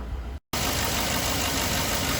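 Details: 2003 Chevy Suburban with a GM 5.3 V8 and 100,000 miles, fixed by a new fuel pressure regulator to replace one with a failed O-ring. The V8 settles into a smooth, even idle with a steady hum and no stumble or knocking.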